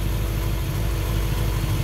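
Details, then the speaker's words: 1955 Chevrolet Bel Air convertible engine started for the first time in 30 years, with gas added to the carburetor bowls: deep, even idle with a smooth low pulse, no knocks or misses; normal idle. "Purrs like a kitten. This engine hasn't started in 30 years."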